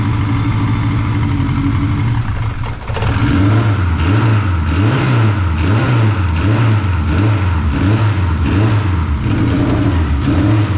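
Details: Honda 8th-gen swap engine, first start after dry crank to oil the head, unknown rods and pistons, sanded rings from the blown engine: catches after a couple of seconds, steady run with slight rise and fall; sounds healthy, valve adjustment planned.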